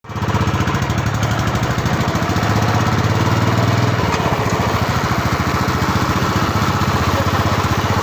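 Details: Royal Enfield Classic 350 BS6: single-cylinder thump with a steady rhythmic knocking from near the rear wheel; abnormal noise, cause not yet clear.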